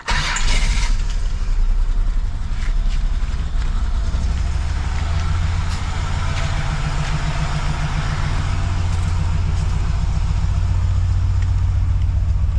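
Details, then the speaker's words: Holden VP with a GM3800 V6 runs badly: it cranks, catches, then idles shaky and stumbling. Misfire from a failed ignition coil pack on the DFI module; three coil packs have failed in about 3–4 months. "So, this is what it's doing. It's basically running like crap."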